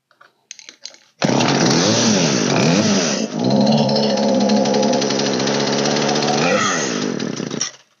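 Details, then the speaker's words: Old Poulan 3816 chainsaw (16in bar) during carburetor tuning after low and high screws were adjusted: revs up, sags and wavers, then stumbles and dies as it drops back; idle speed set too low, idle screw being raised. "my idle is too low so I'm going to raise my idle in"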